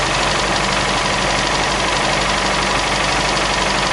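Steady idle with a fast light tick, roughly three per second, riding over the engine hum; source of the ticking not identified.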